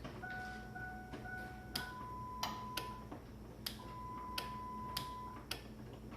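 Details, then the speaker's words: Ford Ranger LS swap, standalone harness wired to factory fuse box: sharp dry clicks roughly once a second as key is turned on, main relay switching correctly via repurposed ignition wire. "So you hear it clicking. That's a good sign. That means it's working how I want it to be."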